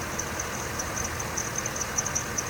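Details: GM Escalade with a rebuilt engine about 500 miles old: thin, high chirping pulses over a hissy idle, an accessory belt squeak that appears in rain; the tensioner was later replaced.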